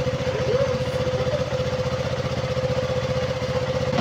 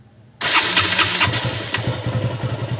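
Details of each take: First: Fuel pump hose on a KTM Duke 200 single replaced; engine that stalled at idle within 3–5 seconds and lost power while riding now idles evenly and steadily, two quick throttle blips settle back cleanly, no more fuel spray from hose: normal idle. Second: KTM Duke 200 fires, then runs with a faltering, starved beat and dies at idle within seconds; the fuel pump hose is leaking fuel, which also cuts power when riding. Stalling after start due to a leaking fuel pump hose.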